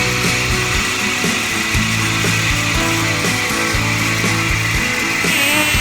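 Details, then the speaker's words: Jeep WJ 4.0 after new plugs and ignition coil: metallic chatter with rough ticking about twice a second at start-up, quieter after 7–8 minutes running; owner suspects failing pulley bearing, possibly more than one. "Engine, after running about 7 or 8 minutes, got a lot quieter, but every time I start it up it's fairly noisy. I'm pretty sure I got a pulley. The bearings are going bad, something."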